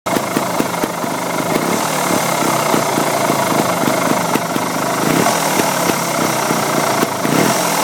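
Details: 2008 Beta Rev 3 two-stroke trials bike at idle with a rapid, even purring rumble throughout; the owner asks whether this purr is normal, and its source is unclear.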